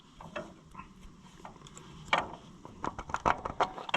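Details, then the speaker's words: Allis Chalmers 175 diesel tractor being reassembled: uneven dry clicks and ratcheting clatter from the hand-worked fuel pump, with irregular, thin strokes. The pump sounds wrong and delivers little fuel. "Yeah, see, I ain't getting much of a... Yeah, that pump don't sound right. I don't like it."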